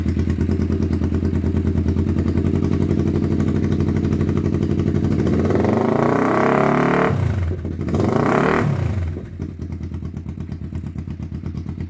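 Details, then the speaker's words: 1991 Kawasaki EN500 twin after replacing out-of-range pickup coils that had set ignition timing wrong, causing bogging and backfiring. Even idle, then a clean rev up and down without stumble or misfire; now fixed. "And now you can hear uh we've got that sorted. So that's phenomenal."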